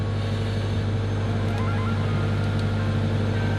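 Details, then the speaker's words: Subaru WRX after installing a DW65c fuel pump and COBB Flex Fuel kit: a smooth, even idle with a steady low hum and no misses or knocks. Fuel pressure is good and AFRs look good; normal idle. "so let's keep the car going for a little bit afr's look good cool so i just let it idle for a while until it went back down"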